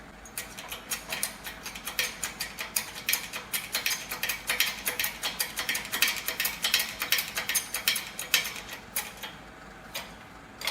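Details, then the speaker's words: 2001–2002 Ford Escape front wheel bearing replacement: sharp crackling pops, about two to three a second, as the new press-fit bearing's outer race is pressed into the steering knuckle; this is normal seating noise before it tightens and fully seats. "Again, perfectly normal. Getting in there where it's tight, and this is where you want it to be."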